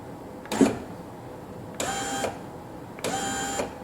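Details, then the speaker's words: 2000 Corvette C5 hardtop, driver door with new GM power window regulator and motor, tested without glass: motor runs in short even bursts, auto-down stops cleanly, no grinding; working properly. "that's good let's see if the auto auto down works [Music] and it stopped where it should and it didn't grind"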